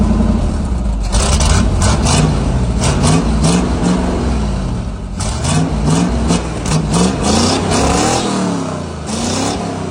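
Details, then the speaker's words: 1977 Chevy/GMC C7000 big truck, sat almost 12 years, new carburetor, after rough carb tune: big petrol engine revs and settles repeatedly, clean without misses or stumbles; smooth running. "Let's see if we can halfass tune this carb. [Music] Sounds a lot better. Majestic."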